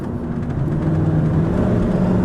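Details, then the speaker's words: Truck automatic transmission driven uphill with overdrive off at about 50, AC on: engine drone climbs with soft pitch steps, smooth solid downshifts and upshifts without slam or clunk; one small rattle; shifting normal. "you know it handles itself really good downshifts nice you know off shifts with good good solid shifting but doesn't slap shift or uh you know give you whiplash or anything"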